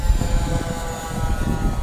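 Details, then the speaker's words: FMS 800mm warbird RC plane in flight at half throttle: a steady motor whine over a rough, uneven low buzz; the owner suspects an out-of-balance propeller causing vibration. "I might need to balance that prop you hear that sound yep that might just be an out of balance prop so but I'm only half throttle here"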